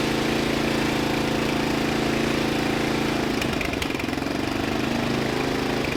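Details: Murray LT1000 wide-body riding mower (2000), deck removed and custom-lowered, first jump-started run on starting fluid with the new exhaust: a single cylinder pulsing fast and loud that never drops to a slow idle; the throttle return seems not to return fully.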